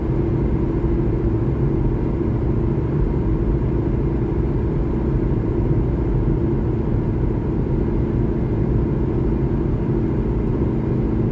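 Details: 2012 Honda Civic LX sedan while driving: a steady, deep, rhythmless rumble. The owner suspects the driver-side front wheel bearing, not confirmed.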